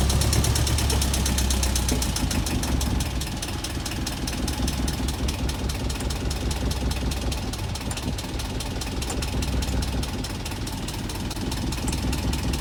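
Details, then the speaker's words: Boat diesel after bleeding the fuel system, exhaust water flowing: uneven, loping chug around two beats a second that wavers before stalling; air still getting into the fuel line and starving it, owner to bleed again. "well i'm sad to report that the engine still stalls out i'm gonna bleed it again try it again in case we missed something"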